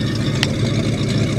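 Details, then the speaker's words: 1973 Buick Regal V8, running well and driven a lot, idles low and deep with a slightly rough, lumpy beat; no sharp knocks or squeals; rough idle. "now i'll be the first to admit the fuel economy isn't the greatest but listen to her she does idle a little she idles a little bit rough you can hear it listen"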